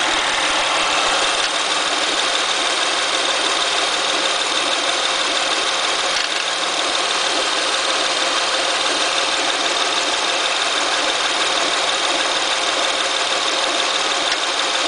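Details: Acura TL at idle: steady idle with hissy, slightly uneven chatter about three beats a second from the engine bay; abnormal noise, cause unclear.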